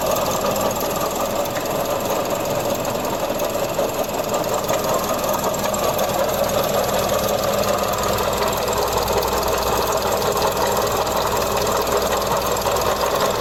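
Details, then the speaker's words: Mazda CX-30 running, engine cover removed, a noise since starting that keeps getting louder: a steady gritty, crispy rasp at the pulley, first suspected belt tensioner. "I think already it's the Bel tensioner right there pick on that sound changes every time while the engine is running"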